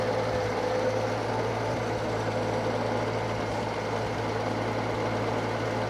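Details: Circa-1952 Austin 6-cylinder petrol truck just revived after about 20 years standing: steady even idle, smooth low hum, no ticking, puffing or misfire; normal idle, owner unsure of a slight miss, hears no burnt valve, found a lead pulled from the distributor cap.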